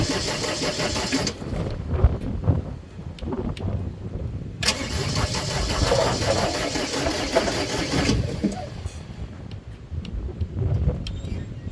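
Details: Gehl 4640 skid steer, Deutz diesel, quit after running a few hours and won't restart; starter cranks in uneven bursts without catching because the fuel shut-off solenoid isn't engaging, so no fuel reaches the engine.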